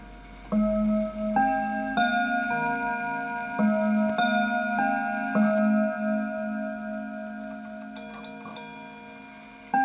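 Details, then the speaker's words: Antique Enfield Westminster-chime mantel clock, fully wound, checked before sale: clear, evenly spaced bell tones play the quarter-hour tune (1:15 to 2 o'clock) in steady time with no dragging or misstrikes; chime train healthy. "And to make sure that the clock is actually chiming properly, let's have a listen to it."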